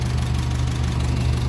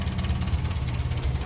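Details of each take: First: 1957 Ferguson 35 TVO tractor, warm after about 10 minutes running, idling just below 800 rpm, temperature up, oil pressure and charging light good: low, even thrum, no knocks or misses; normal warm idle. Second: 1957 Ferguson 35 TVO tractor, warm, idle dropped to about 400 rpm: slow, lumpy low thumping, barely running, nearly pinking; idle set far too low, low-speed setting not readjusted since needle valve work.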